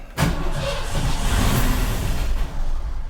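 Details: 1984 Ford Bronco XLT with carbureted engine, stored 20 years, with a little gas poured into the carburetor: deep uneven starter churn for about three seconds, cranks but won't fire.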